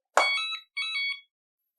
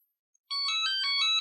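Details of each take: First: Hoverboard (Scooty R12) with a blown capacitor and a battery not charging, switched on while connected to the charger: a thump, then two short bursts of high beeps repeating about every 2.5 seconds. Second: Scooty R12 hoverboard being repaired for a blown capacitor and a battery that won't charge, switched on with the battery disconnected: short rising melody of clear electronic tones, about a second long, the normal power-on chime.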